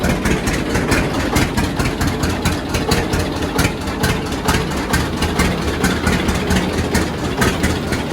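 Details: John Deere D two-cylinder tractor at idle on new Autolite 3076 plugs, before gapping to 0.030 in; uneven putt-putt with occasional skipped or weak firings, misfire from too tightly gapped plugs.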